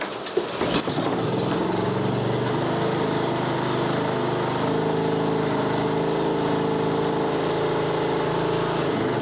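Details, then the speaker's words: Honda HRB216 mower (GCV160), stored for years, after cleaning the dirty carb: choked pull then a steady, even single-cylinder drone with no misses; now runs. "There we go. She runs. Carb was dirty."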